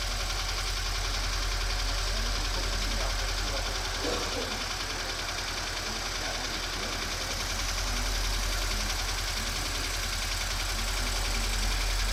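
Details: Subaru BRZ at idle: faint regular tapping about three or four times a second over the idle; abnormal engine noise, cause unclear.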